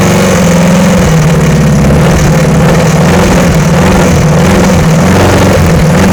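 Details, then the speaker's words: VW-engined Sterling kit car after static timing and adjusting loose valves: steady low idle with an uneven lumpy beat; runs poorly, cause not pinned down, wiring still to sort and owner unsure the fuel pump works. "well it does run go through and take care of the wiring and see if I can get it to run a little better"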